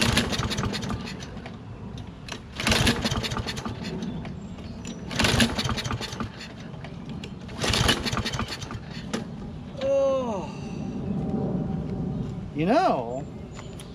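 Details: Toro Recycler mower, Kohler XT675, after carburetor rebuild and magneto swap: repeated pull-start bursts about every 2.5 seconds, coughing but never catching. Choke plate stays open because its spring was not reinstalled, so it starts hard.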